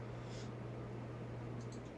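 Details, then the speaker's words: 2001 Hunter Sea Air ceiling fan motor on low, after a loose screw was fixed: a faint, steady low hum under quiet room air with no rattle or ticking, only slight 60-cycle mains hum; normal motor sound. "Yeah, no, that's we just we want to see if just the motor motor sound. creates hum, 60 cycle hum."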